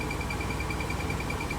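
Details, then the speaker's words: Toyota MR2 at idle: rapid high chirps about ten a second that fade when clutch pedal is touched, from dry clutch release fork pivot in transmission. "it sounds like this and when i touch the my clutch it kind of goes away"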